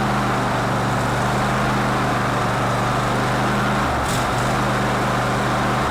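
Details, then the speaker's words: Cub Cadet LT1046 lawn tractor after the carburetor was cleaned and refitted with its ground and solenoid wires; old fuel was blamed for the rough running. An even, steady low hum with only a brief dip. It now runs smoothly. "okay so yeah old nasty gas will do lots of bad stuff for you apparently well that gas really shouldn't have been that old or not nasty but anyway it appears to be in better shape now"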